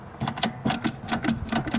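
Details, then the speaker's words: Riding mower no-start electrical troubleshooting; sharp uneven clicks, about seven in two seconds, as the seat safety switch is worked on and off; safety switch clicking. "hear it clicking on and off so that's safety switch location number one"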